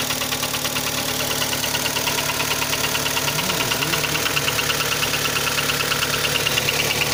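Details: Kia Sportage 3 engine running: light, regular high-pitched tick about three times a second; knock louder cold and quieter warm, present at low speeds, gone at 60-90 km/h, returns on reapplying throttle; cause unknown.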